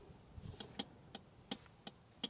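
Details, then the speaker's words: Garage find Rover P6 3500 V8, laid up for years, battery in boot: crisp, even alternating click-clack indicator about three a second over quiet background; flasher relay working normally. "can you hear that I can I can hear a nice clickey clacky why doesn't every indicator sound like that"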